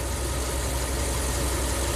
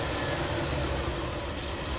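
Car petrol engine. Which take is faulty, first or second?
second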